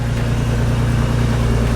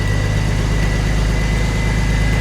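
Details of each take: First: Manual Ford BA Mk2 XR6 Turbo at about 271,000 km, cold start after an override: steady low idle rumble with faint rapid puffing tick, sounds like an exhaust leak. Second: Manual BA Mk2 Ford Falcon XR6 Turbo idling after its first start following an oil and filter service: a steady, even low hum with no knocks or ticks for three seconds before it cuts off. The idle is normal and quiet.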